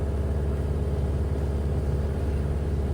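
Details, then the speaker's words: Ford Model A after installing a Mitchell synchronized transmission and overdrive: deep steady engine rumble with no straight-cut gear howl or whine; quiet, healthy gearbox. "Plus, because it's built with modern precision, that classic straight cut gear howl is gone. It's a much quieter, more refined"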